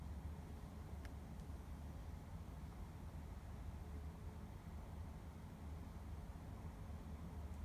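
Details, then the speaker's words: Constant low-frequency drone with no beat or change, recorded at 8 a.m. inside a condominium unit at The Sail @ Marina Bay, Singapore; unexplained building hum heard 24/7, source unknown. "This is because of weird noise. And the noise can be heard for 24/7. This is really weird issue, isn't it?"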